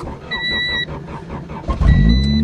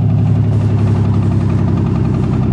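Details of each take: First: 1990 Honda automatic buried in snow, winter cold start: two-tone chime, brief crank, then catches and settles to steady even low rumble; starts fine though it has a bad clutch. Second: Honda car cold winter start: lumpy, uneven idle with stumbling, skipping beat from a spark plug wire that had come off; misfire cured once reconnected.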